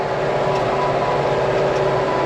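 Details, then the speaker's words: Old New Holland 644 round baler baling hay at the Bison ranch, moisture good, with newly replaced chains: steady even drone with a constant mid tone, no knocking or chain clatter; baler running smoothly and working much better. "But yeah, this thing is doing a much better job with the new chains on it."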